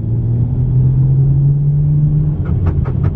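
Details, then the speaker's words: BMW 335is on its first drive in two years after a rebuild: steady low engine rumble, then rasping scrapes about four a second under throttle; something is rubbing underneath, suspected to be a plastic underbody trim piece. "right looks like we're something is rubbing on the bottom of the car guys i don't know if you guys can hear that scraping sound"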